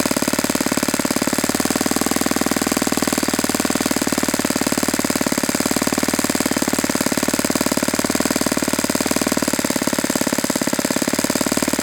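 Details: Saito FA-91S model four-stroke glow engine, not run in many years, on a test stand on a chilly ~60°F day, running a Fox Miracle plug after a rough start: fast, even popping rhythm held steady without misses or surging; normal, clean running.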